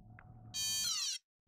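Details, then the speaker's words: Yuneec Typhoon H powered on without propellers, motors stopped by holding start/stop: loud high buzzing half-second beep as the drone and controller beep and rear blinks red; 5 motor error warning, cleared by resetting. "so now everything stopped the Drone is beeping it's freaking out my controller is still beeping the back is blinking red"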